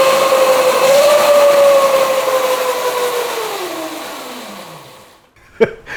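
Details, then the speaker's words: Custom electric Yamaha Mio scooter with no gears, on its stand, rear wheel spun up in speed mode 1: a loud, steady, jet-like high whine from the drive that falls in pitch as the wheel spins down; owner suspects a dry chain. "Suaranya tuh mendesing banget. Mungkin karena rantainya kering gitu, Guys. Karena kan ini kan yang kedengaran cuma kondisi rantainya doang."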